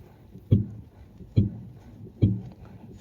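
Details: Mercedes S600 coupe rear strut upper mount, body rocked by hand with suspension pressure at zero: only soft, dull thumps about once a second, no sharp knock or banging; rear strut mounts are sound.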